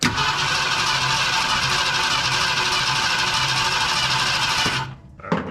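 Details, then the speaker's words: 1972 Ford F100 FE 360 V8 first start attempt after pumping accelerator pump, spark not yet checked, owner believes it gets fuel; steady cranking about five seconds, no firing or catching — crank no start. "we're going to have to check for spark because it doesn't sound like it's even trying and I know it's getting fuel"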